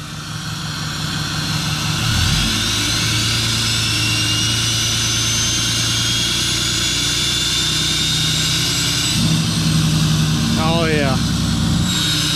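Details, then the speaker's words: 6.7 Cummins diesel with a new Fleece 63mm Cheetah VGT turbo, idling before reaching operating temperature: a high rising turbo whistle over the idle once the exhaust brake is on. This is a normal, healthy howl. "Yeah, that's how it's supposed to sound when you turn on the kicker. Good deal."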